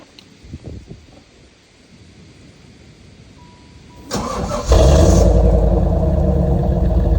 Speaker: So yeah, as you can see, it sounds pretty good.